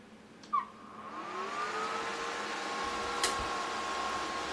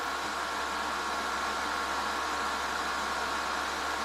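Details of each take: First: Wine chiller, Warning Pro PC100, 12 V 5 A, secondhand, just switched on: the fan hum rises in pitch over a second or two, then holds steady and fairly loud; the cooling fan is noisy once running. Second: Warning Pro PC100 wine chiller (12 V, 5 A) just started: a steady, airy, loud whoosh with a hissing edge and no knocks or pitch changes. Its cooling fan is running normally but noisily.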